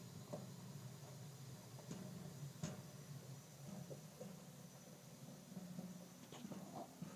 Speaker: Okay, so I'm filling clothes in this audio heater. It's making this noise. Tell me if this is normal or not.